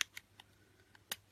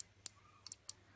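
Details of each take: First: Finsecur Nemo C conventional manual fire alarm call point after spring/contact repositioned past stop: several light clicks with one crisp snap on reset; mechanism now latches properly, repaired. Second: Finsecur Nemo C conventional manual fire call point (ref BBG C0216): sliding membrane pushes a tab onto the contact when triggered; four sharp, light clicks in a quiet room as the tab presses the contact, shown during diagnosis of a recurring mechanical fault.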